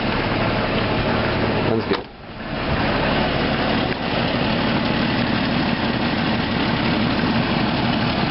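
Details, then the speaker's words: 1993 Jeep Grand Cherokee idling after exhaust manifold replacement: light, uneven puffing tick over a rough exhaust note; much quieter than before but the header is also cracked and still leaking, bolts to be tightened. "A whole lot quieter than it was. Unfortunately, this header is cracked too. It's not nearly as bad as it was, but you know."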